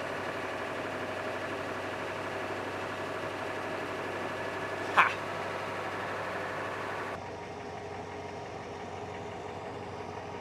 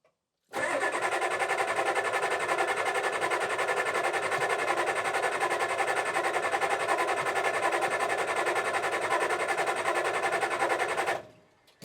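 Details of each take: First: 1987 Ford F350 6.9 IDI diesel auction truck, first run after purging air from the fuel system: even, steady diesel idle with smooth rhythm, no misses or extra knocks; sounds healthy. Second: 1987 Ford F350 6.9 IDI diesel auction truck that turns over but won't run: about ten seconds of steady cranking that never catches. An air bubble was seen in the fuel, and the whole system likely needs bleeding.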